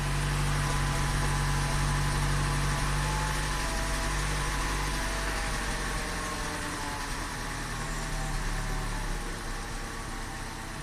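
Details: 2015 Chevy Cruze 1.4 turbo, manual, 235,000 miles, rough-running rich with high crankcase vacuum (PCV failure suspected), just started with the O2 sensors warming toward closed loop. Low uneven idle pulsing about four per second, sagging and wavering; cause not pinned down.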